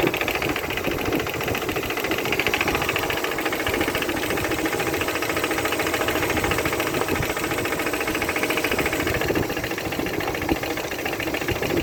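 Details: Opel Vectra B X18XE engine: steady idle with a dull, slightly uneven knock about three or four times a second; something inside the engine is knocking, cause unclear.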